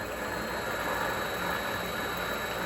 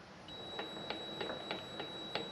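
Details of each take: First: Vevor MX400 mini lathe after reinstalling the tension pulley on a redesigned mount, run briefly without grease from 50 up to about 1100 RPM: steady, even whir with a faint high whine, no knock or rattle, smooth spin-down; normal. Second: Vevor MX400 mini lathe turning slowly after tension pulley remount: quiet light ticks about every third of a second over a thin tone, from loose chuck adjustment screws dropping as the chuck rotates.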